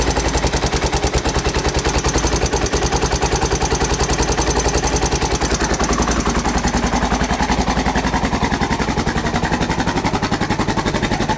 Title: Honda XR 600 R 1992 timing chain noise